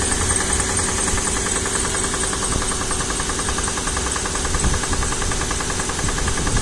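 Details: Mercedes M113 engine on a cold start: steady, dense drone with a faint, irregular ticking knock about three per second underneath. Cause unknown.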